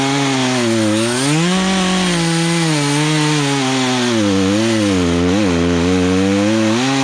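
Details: Poulan Pro two-stroke chainsaw, unused for three years, carburetor adjusted during the cut, cutting a log: high buzz dips as the chain bites and climbs back without stalling, pulling cleanly under load; chain probably needs sharpening.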